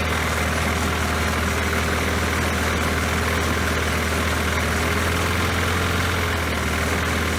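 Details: Poulan Pro mower that had been sitting, after refitting the forgotten throttle spring: steady even drone with firm low hum, no misses or surging; runs smoothly.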